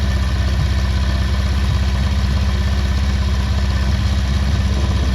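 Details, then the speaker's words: Restored Honda CB400 Four, about 103 miles since restoration, while balancing the carburettors with vacuum gauges: even, steady four-cylinder idle with a smooth low burble and no misses or hunting. Normal idle. "Sounds nice as well, right. Try it 1, 2, see what that sounds like."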